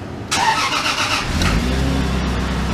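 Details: 2002 Lexus IS300 first start after replacing the clutch, rear main seal, pilot bearing and throw-out bearing. The starter catches quickly and the engine fires cleanly into a smooth, steady idle.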